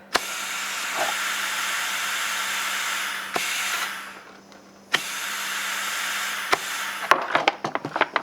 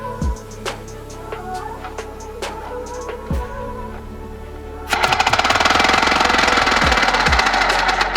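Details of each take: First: 3D-printed 4-stroke compressed-air engine on a 20 psi test: loud steady hiss fades and returns with sharp clicks; air leaking past the ball valve, which seats on the O-ring because the push rod is too long. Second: 3D-printed 4-stroke compressed-air engine, pressurized to 60 psi and bled toward 50 before starting: sparse puffs, then fast even exhaust-pulse chatter as it spins up; measured 1300 rpm at the cam, about 2600 rpm at the flywheel; normal running.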